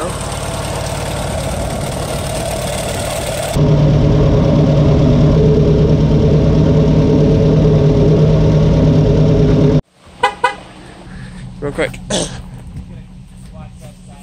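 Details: Farmall 140 industrial tractor, sat in the woods over 10 years, restarted after freeing the stuck engine and valves, on choke with a stuck clutch: an uneven thumping of about three pulses a second over a low idle, rough and misfire-like, cause uncertain.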